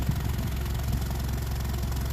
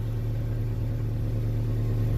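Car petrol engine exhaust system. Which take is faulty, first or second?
first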